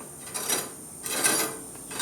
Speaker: Barely touching, right?